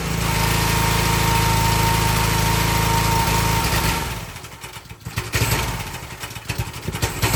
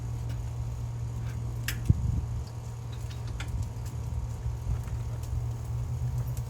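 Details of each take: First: Excell XR2500 pressure washer (DeVilBiss) with 5 hp Honda engine runs normally about 10–15 seconds, then hesitates, surges, misfires and cuts out, sometimes stalling, sometimes recovering; caused by a failed NGK spark plug, not the carburetor. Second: Excell XR2500 (DeVilBiss) pressure washer, 5 hp Honda engine, after replacing bad spark plug that caused stalling after 15 seconds: steady low drone with even beat, no misses, surges or stalls; runs smooth and healthy.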